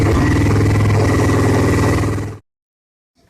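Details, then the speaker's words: Victory motorcycle after an engine swap, no mufflers fitted yet: deep, loud, fast-firing V-twin bark, steady and even before cutting off; normal idle with open exhaust. "at least it's the point where the bike can be run and it'll be probably pretty loud"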